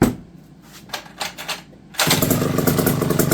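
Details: McCulloch D30 vintage chainsaw after MC5 carburetor rebuild, bar and chain fitted: after a few light knocks it catches and settles into a steady, even two-stroke idle; running healthy.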